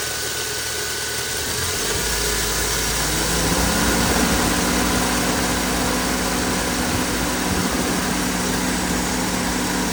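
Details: 2007 Suzuki Vitara 1.6 VVT idling with a steady rough grinding and whirring tone settling in after a couple of seconds from the accessory drive; AC pump suspected, not confirmed.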